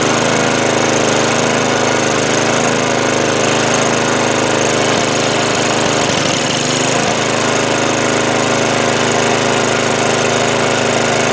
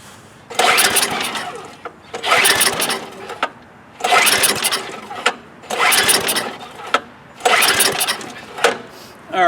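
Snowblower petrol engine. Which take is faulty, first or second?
second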